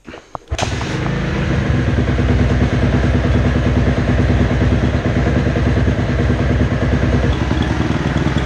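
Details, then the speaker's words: 2010 Kawasaki KX250F, kick-started and warming up with the hot-start lever unused: it fires quickly and takes revs cleanly, running right. "Bon voilà, déjà là, ça prend bien les tours, ça me va bien."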